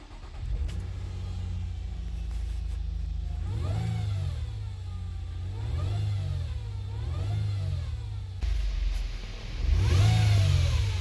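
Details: 2017 Nissan Altima: a high whine rising and falling with each rev on start and acceleration, over a low engine hum; fixed by replacing the transmission oil pan and strainer.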